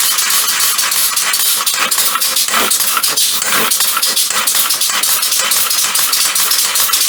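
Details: Homemade compressed-air motor mounted on a bicycle as a pedal assist, with a chain tensioner at the back. A loud steady hiss with a fast, dense rattle, apparently from the chain, which lacks enough tension to stay tight.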